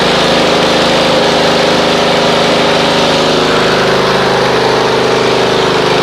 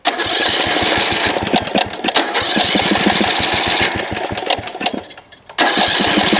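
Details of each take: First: Snapper RER Comet mower on a dead cold start, choke then off, after running Mechanic in a Bottle through the fuel: even, steady idle with a smooth regular beat, no misses; normal idle. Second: Snapper RER Comet riding mower that sat about a year, before a Mechanic in a Bottle fuel treatment (plug good, air filter checked, choke off): the small engine surges and sags with loose, irregular firing; rough running, likely fuel related.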